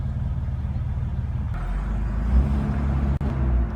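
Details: Car at a stop sign, in gear rather than park: low, lumpy rough idle with an uneven throb and a sudden dip near stalling. It persists despite a cleaned throttle body, new idle air control valve, six new spark plugs and a new wire set.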